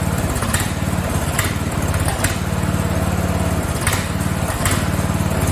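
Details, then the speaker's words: Free Craftsman riding mower (part 917.273760) with its small engine running rough: uneven pops, stumbles and sharp cracks with no steady beat. Owner suspects it is not getting enough fuel. "I think it's fuel. I don't think it's getting enough fuel. Yeah, I don't think she's getting enough fuel. It just does not seem like enough fuel is running in there."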